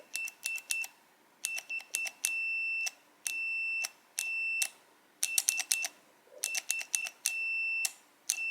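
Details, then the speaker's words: Old car/truck with new ignition switch tested with multimeter continuity: sharp beeps in bursts and longer steady tones as switch moves to on and start; start contacts close properly. Continuity beep, ignition switch start circuit closed. "so there is uh on and you'll hear it beat so when you go to the start position see it stays it stays on I know you might not think that's a normal thing"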